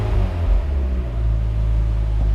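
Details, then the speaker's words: 2006 Mazda Miata NC at nearly 100,000 miles, just after first spark plug replacement; idling out of gear, clutch out: low, steady, even rumble with no stumbles or dropouts, no misfires or warning lights. Normal idle. "Seems like we're good. No issues, no lights,"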